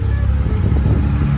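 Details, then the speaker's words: 2002 Lancer OZ Rally that loses power and dies when accelerating, after new fuel filter, MAF, TPS and IACV: low, lumpy, sputtering idle with uneven beat and occasional stumbles; rough idle matching the original fault. "okay that's a sign kind of feels a little rough y you kind of hear a little bit that's the noise she was making"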